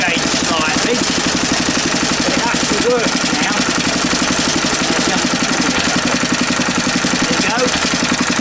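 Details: Small engine on a mounting board after refitting the flywheel key and setting the air gap; steady even chugging about four beats a second, light wooden knocking from the board. Earlier sheared key blamed on an overlong bolt; now runs smoothly.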